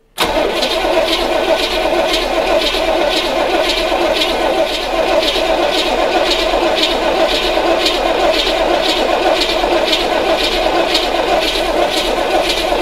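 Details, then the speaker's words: 1980 Corvette C3 5.7 V8 that sat nearly ten years, cranked with the fuel line disconnected at the carburetor to see if the pump lifts fuel: a steady starter churn with a slow pulse about once a second, never starting. "so what we're going to do now is get cranking on this thing and see if it lifts any fuel"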